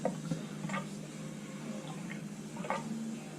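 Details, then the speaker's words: 2005 Honda GL1800 Goldwing fork being refilled after a fork seal and bushing repair: quiet, irregular wet gurgles and drips as the tube is pumped and air works out of the fresh fork oil. The gurgling stops once the oil is fully in. "that's a good audio indication of when you've got it all the way in the fork is you'll hear that gurgling stop"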